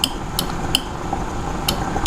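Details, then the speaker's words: Kubota KX91-3 Super Series excavator, new relay added to bypass computer for hydraulic thumb control, 12 V applied to trigger wire with switch on: crisp single clicks, about five in two seconds; relay pulling in normally. "I'm going to turn the switch on, and I'm going to touch this wire here. you can hear it click, that relay click."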